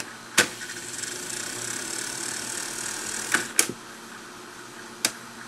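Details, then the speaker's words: Wollensak T-524 mono half-track 4-speed reel-to-reel tape recorder from about 1963, stopped: a soft steady scraping hiss with a few sharp clicks from the sandpaper friction clutch, heard only when the machine is stopped, silent when playing; normal clutch noise. "Now there's a sound that can be heard here, and that's the friction clutch mechanism. Remember, it has that sandpaper in it. So it stops when the machine is actually playing, but you can hear it when the machine is stopped."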